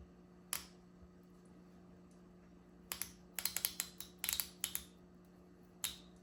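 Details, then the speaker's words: 1993 Honda Accord transmission shift solenoid, removed, screen cleaned, bench-tested with a battery: sharp clicks, single and in bursts, over a low hum, sounding weaker than the other solenoid; it is suspected failing and causing shift issues. "I don't know if you guys can hear that, but this solenoid sounds a little weaker than the first one that we just tested right now."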